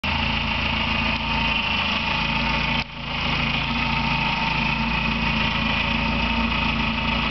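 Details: Engine at idle with a thin, high bird-like chirp, present for two years and now louder; persisted after replacing alternator bearing and timing belt tensioner and with alternator belt removed; owner suspects water pump, source unknown.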